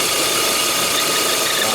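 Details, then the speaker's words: Peugeot 408 with EW10 engine at idle, check light on and lambda/catalyst faults: a steady hissy chirp, like a dry bearing near the belts, louder than the idle. It stops when the dipstick is pulled, showing a vacuum leak through the torn PCV membrane. "Parou o barulhinho do motor. Ela parou o grilinho, ó. Tá tá puxando ar o bloco da vareta, né?"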